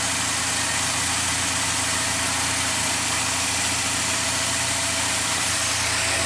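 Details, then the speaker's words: Mazda MPV after transmission swap and test drive with some slip, idling in park with fluid right on F: even, steady idle, smooth hum and airy hiss, no misses, knocks or whine; normal idle. "It purrs. Whew. Wow. All right. Good news. MPV is back on track."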